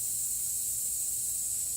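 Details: 2016 Toyota Highlander tire raised on a jack while being plugged with a plug kit: steady high, rhythmless hiss with no engine behind it, air escaping through the open tread puncture; tire air leak.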